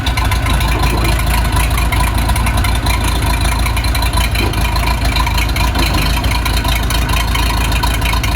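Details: Case 207D (450) dozer diesel after a year-long engine rebuild, reinstalled and reassembled, fitted with a muffler so much quieter: steady, even deep idle rumble with no knocks or misses; healthy.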